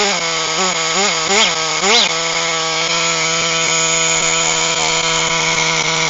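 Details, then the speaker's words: HPI Firestorm nitro 1/10 stadium truck, previously seized engine repaired, after preheat: high, buzzy two-stroke note blips then holds a steady, even scream, running cleanly with good compression; pinion gear destroyed while warming up. "well Happy Days okay well that was a real slug although eventually managed to get the engine up and running"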